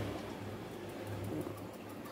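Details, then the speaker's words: Roberts Model 770 reel-to-reel tape recorder sent from the US, playing at the 7 1/2 speed: playback drags slow and low, pitch sagging and moaning unevenly, so the transport isn't holding speed. Only 50Hz mains is available for testing; cause not confirmed. "Nó rên rỉ nỉ non như này."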